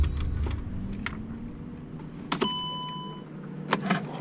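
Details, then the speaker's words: 2009 Mercedes-Benz C350 after sitting during deployment, engine off with ignition on: radiator fans kick on immediately at full blast with steady whooshing roar, door chime and clicks; coolant temp sensor wire cut, computer reads high output and forces fans on. "I didn't even start the car but you can hear the fan kicked on immediately so apparently coolant temp sensors having a high output so the computer automatically turns it on the fans"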